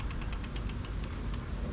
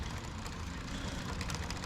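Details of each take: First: Lectric XP e-bike lifted off the ground, wheel spun freely: quick, light metallic scrapes each turn over a low rumble; brake disc rotor rubbing on the inside of the caliper, fixed by adjusting the brakes. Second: Lectric XP e-bike, wheel lifted and spun freely after brake adjustment to stop rubbing: light, quick ticking chain rattle with no rubbing or scraping; rear rotor slightly bent but no longer rubs; drive sounds normal.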